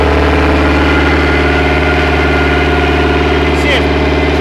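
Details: Chaparral boat engine after the defective aftermarket carburetor was replaced with the owner's original carb, rebuilt: low, steady rumbling idle that holds even without stumbling or surging. Runs well with no flooding.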